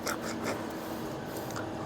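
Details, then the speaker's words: Toyota Hilux KUN25 4x4 front wheel bearing turned by hand after removal: gritty crunching roughness; owner complained of droning while driving; one side worse than the other; bearing needs pressing out and replacing. "Kita pusing pakai tangan macam ni pun dah kasar. Apa lagi dah pasang tayar dia dah tak kereta dah berjalan lagiah berdengung bunyi dia."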